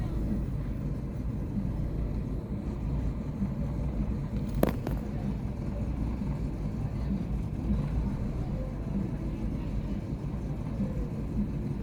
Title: Chevy aveo rough idle